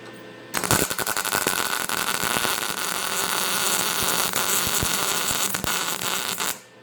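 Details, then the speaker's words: MIG welder on sheet metal, heat setting G, wire speed backed down from 5 to 4: steady, even frying-bacon crackle with no popping or spatter, a much nicer weld and a correctly set arc. "That's a lot nicer weld."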